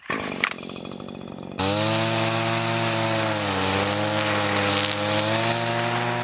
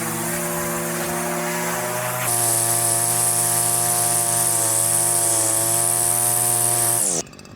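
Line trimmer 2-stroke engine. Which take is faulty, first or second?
first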